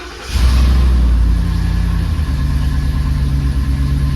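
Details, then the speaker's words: 2014 Ford Raptor during oil change, fired up after refill to circulate oil: engine catches in half a second, settles into deep steady rumble, no knocking or ticking; normal cold start and idle. "We'll let this idle here for a couple more seconds, and we'll shut it off, and we will top the oil back off now that it's sucked it through the system."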